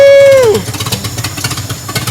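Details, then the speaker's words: 1963 Pontiac Tempest LeMans convertible, Trophy 4 four-cylinder (half a 389 V8), just started: short falling whine, then rough, sharp, open cracking firing pulses, very loud and raw because no exhaust is connected. "okay so we got a running a hot rod i guess we're running something running something it needs an exhaust"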